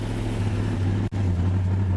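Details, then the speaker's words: 1967 Buick GS 340, long-sitting, first run after ignition work, with oil pressure and water temperature now present: a deep, steady rumble at an even speed with no knocks or misses. It runs fine, with some smoke clearing, possibly fuel smoke. "at least now we know she runs she circulates she gets all everything we need oil pressure water temp"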